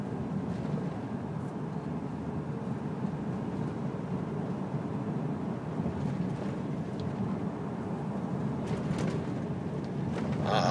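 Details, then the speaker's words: 2005 Ram with 46k miles driven over badly potholed, poorly patched road: steady low road rumble with no rattles or clunks; cab and body are tight, nothing rattling around. "that's pretty good there's nothing rattling around"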